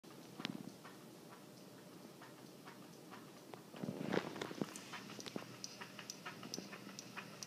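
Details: 52-inch Hampton Bay Cameron 2 Plus ceiling fan: uneven ticks and clicks about three or four a second, wobbly and noisy only in reverse, not forward; owner suspects blades set at differing pitches.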